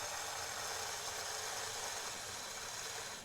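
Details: Thin, high motor whir with uneven rattly gear chatter at about four per second on a customized project Alco FA1 model locomotive with two mid-80s pancake drives; it gets power but barely moves. Owner suspects a cracked or split gear, perhaps only one wheel driven.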